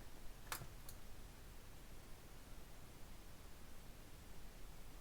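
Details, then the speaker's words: Vintage NAD 3120 amplifier after bypassing the muting circuit by shorting out its JFETs: soft speaker thump at switch-on, then near silence; startup hum is gone. "the hum is totally gone just a bit of a speaker thumb on startup so i'm quite happy to to live with that result"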